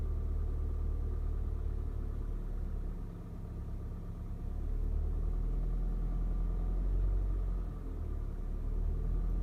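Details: Cold-start engine knock on a VW 2.0 TSI CHHB: a dull, fairly even knock about three per second riding over the low idle rumble; cause not determined.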